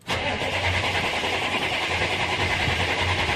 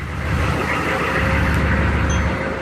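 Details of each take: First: Old GM diesel truck being revived, started after a couple minutes of glow plugs on a warm day; catches straight away with loud even clatter. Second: Old GM diesel just revived after sputtering, oil about six of seven quarts: deep, even rumble at steady idle with no knocks, misses or speed swings; smooth idle.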